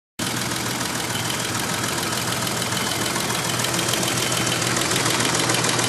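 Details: BMW M30B35 six-cylinder idling with a light, steady ticking knock from the valve train at the rocker arms; valve clearance was settled at 0.30 mm.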